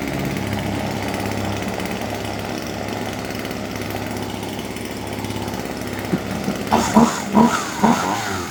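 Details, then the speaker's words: Husqvarna 136 chainsaw, warmed up after a no-start check found no water in the fuel: a steady, even two-stroke buzz holding speed, then a few sharp throttle blips near the end; it runs cleanly and sounds normal. "Ja, då ska jag köra den lite varm bara innan jag barterar med grejer runt om hela vären."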